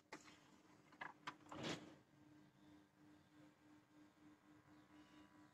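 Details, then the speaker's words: AIWA NSX-S333 sound system CD tray: pressing open/close, the tray motor keeps running but the tray won't close and comes back out; short plastic clunks, brief motor whirr, then low hum; cause a missing tray drive belt. "I don't know if they can hear but the motor stays running and the tray doesn't close. You have to force it to close and it comes back out."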